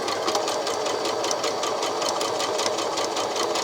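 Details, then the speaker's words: Brother My Star 3 sewing machine on straight stitch, stitch length about 3: a fast mechanical chatter with a sharp picking tick; the needle is suspected to have a hooked, damaged tip picking at the fabric. "I presume that that needle had a bit of a hook on the end of it, that it had been a bit damaged, because I could hear it picking at the fabric."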